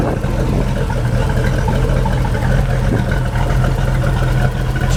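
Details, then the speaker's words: Mercruiser 383 Magnum stroker multi-port-injected marine V8 with under 40 hours, idling smoothly with a steady rumble; only the faint normal tick of the fuel injectors is heard. "like you would expect it just runs like a brand new motor the only thing you can hear clicking is a little click of the fuel injector"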